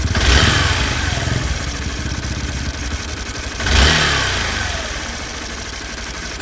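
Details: 2016 Honda Bros 160 single-cylinder after 6,000 km service: idle and two throttle blips with rough mechanical rattle inside the engine; internal engine noise.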